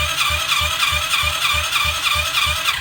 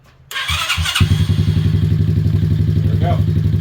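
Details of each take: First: 2021 Kayo 90 pit bike engine cranking for a compression test, throttle wide open: quick, even, whirring cranking with no firing. It reaches only 40 psi, far too low to run, because zero intake valve clearance holds the valve open. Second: 2021 Kayo 90 pit bike after a valve adjustment raised compression from 40 to 140 psi: it catches within a second, then a steady, even single-cylinder thump with a couple of throttle blips, running healthy and firing cleanly.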